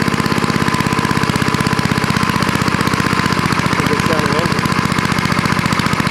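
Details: Rapid, regular single-cylinder firing, about fourteen beats a second, holding an even rhythm without sputtering; an old snowblower-collection engine running steadily after its dirty carburetor bowl and float were cleaned with carb cleaner and reassembled.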